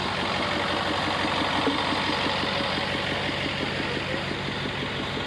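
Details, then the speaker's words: Freshly built 6.4 Power Stroke diesel truck with about 60 miles, an S369 single turbo and an AFE intake, weighing over 10,000 lb, at over 6,400 ft elevation: a steady clatter briefly lifts and settles under a light rev. Healthy. "just give it a little goose that's a normal amount of smoke for a break-in"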